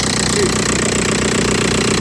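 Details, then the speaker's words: Audi A4 diesel (older engine), started cold after jump and auxiliary belt and tensioner replacement: steady fast even clatter at idle, no odd knocks; a normal cold diesel idle clatter. "Oh, I know, it's a bit cold. Yeah, possibly, yeah. Sounds like a normal dirty diesel."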